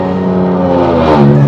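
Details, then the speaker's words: BMW M6 E63 S85 V10 test drive after rod bearing replacement: loud deep exhaust drone holding steady then rising smoothly under acceleration, no knocking or rattles; engine healthy. "You can literally hear it miles away. Can't imagine this driving daily."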